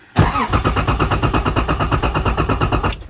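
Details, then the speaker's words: Lexus IS300 with ECU tuned out, no immobilizer or EFI, cranking but not starting even with throttle: starter turns engine steadily six or seven pulses a second for about three seconds, never catching. "We have an issue with the Is300. Again, it is not starting. It's just cranking."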